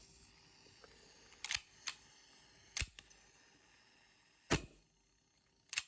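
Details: Boneyard WE Browning Hi-Power gas blowback airsoft pistol on red gas, magazine venting when tipped (owner suspects a seal, not the fill valve): five sharp, crisp, separate cracks; the slide cycles snappily, normal blowback.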